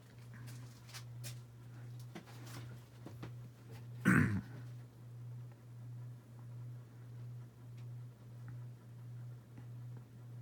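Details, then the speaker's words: Dynasty 52-inch hugger ceiling fan CF-HA52 from January 1988 on medium speed, where it wobbles and hums most of its three speeds; only one mount on each side lets it sway. Low hum swells and fades about twice a second. "definitely move this into our medium and it does wobble more meeting them out of the three speeds in a hums the most on the first a medium"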